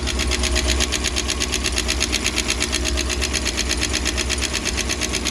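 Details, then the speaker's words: 1996 Bayliner Capri 2050 SS, 305 Chevy V8, cold start after sitting 14 years: fast, even top-end ticking over steady idle; several loose rocker arm nuts found, possibly studs pulling out; tightened. "I mean, it's got a little bit of a lifter tap, but I think it's already better than it was."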